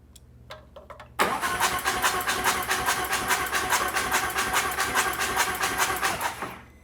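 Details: Newly built Harley chopper engine with no oil pressure yet: fast even ticking about two per second over rough idle; owner suspects a soft lifter, possibly until oil pressure builds.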